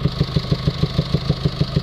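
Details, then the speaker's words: Euro 6 Mercedes Vito taxi diesel with ongoing DPF and EGR faults (P300A7A low-pressure EGR flow too low, even after a new part): rhythmic heavy chuffing at about six per second at idle, exhaust gas pushing out of the air intake; damaged DPF suspected. "that distinctive sound where you can hear exhaust gas coming outwards of the inlet the air intake"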